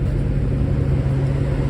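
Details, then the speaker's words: 1999-2002 GM truck with Dorman 620-652 electric fan upgrade, engine idling: steady low whooshing roar as the AC-controlled high-speed fan kicks on when AC is switched on and off when switched off; fans running normally. "there's my AC hear that high-speed fan kick on right there as soon as you turn off kicks it off"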